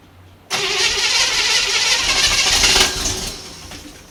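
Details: 1955 Chevy 210 Delray, 265 V8, first start in who knows how long, fuel poured toward the carburetor bowl: it catches and roars briefly, then sags and stumbles. Fuel starvation; the owner thinks the bowl isn't filling properly.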